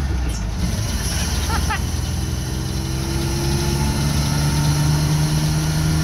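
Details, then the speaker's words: Toyota Hilux ute just bought and driven home after the gearbox was sorted out: deep V6 idle, loping and uneven, the beat wavering instead of settling; rough, lumpy idle, cause unclear, and the truck needs tidy-up. "that lumpy Idol though [Music] I guess a little it works it runs it drives it's just a very rough and needs a lot of tidy up"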